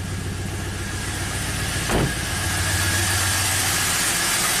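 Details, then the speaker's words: 2004 Pontiac GTO 5.7 LS1 V8, 6-speed manual, 34,000 miles. Uneven, lumpy idle with a periodic stumble; misfire counters rise on cylinders 1 and 8, feeling like a single-cylinder misfire. "So let's start it up, see what it does. It's definitely misfiring."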